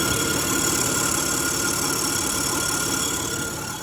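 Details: Acura MDX at idle with A/C on: steady high-pitched whine with faint chatter; caused by a bad drive belt, fixed by replacing it. Worn drive belt noise.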